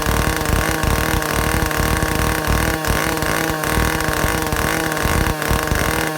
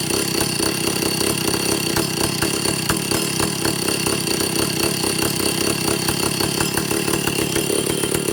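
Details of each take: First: Vintage Stihl 051/075/076-type chainsaw after air-leak, fuel-system and carburetor repair, high-speed needle adjusted: crisp two-stroke howl held near top revs, peaking about 9,400 rpm (spec 9,000–10,000), brief dips, clean pickup; running properly. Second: Vintage Stihl chainsaw after air-leak and fuel-system repair and carburetor adjustment, target top 10,000 rpm: busy, rough buzz staying level, never climbing to full revs; owner suspects the carburetor's third circuit.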